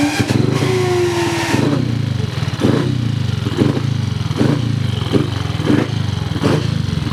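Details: Cub single-cylinder motorcycle, motor back together, first start checking for oil leaks, started with a starter on a stand: catches and settles into a steady even beat with a few throttle blips, running clean with no knocks; normal running.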